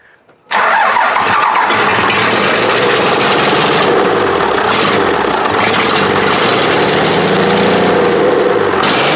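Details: Cummins diesel in a long-bed truck, first start after fuel feed and return lines were run to the injection pump, shutoff solenoid not hooked up and idle not yet adjusted: cranks briefly, catches at once, even clatter with no misses; normal start and idle.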